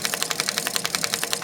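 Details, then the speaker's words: KHS mountain bike, rear disc brake, wheel spinning: quick, even ticking pops about eleven a second as the rotor's cooling holes rub the brake pad on every rotation. "Every time you hear that pop pop pop, that's just one of the little cooling holes or whatever rubbing up against the brake pad."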